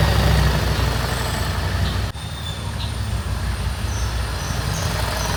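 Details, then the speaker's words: Single-cylinder bike after the spark plug was removed and refitted (the engine had been heating inside and not running right): steady, even thrum at about four beats a second; smooth, healthy idle. "S ಗಾಡಿ ಸರಿಯಾಗಿದೆ ನೋಡ"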